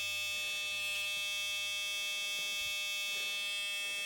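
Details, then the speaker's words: Restored 1980 Dodge W200 truck with carburetor, on its first start after restoration: with key on and engine off, a thin high-pitched electrical buzz holds steady in a quiet cab as the fuel gauge moves. The buzz's source is unidentified. "What's all the buzzing? The fuel gauge moved a little bit, so let's crank it."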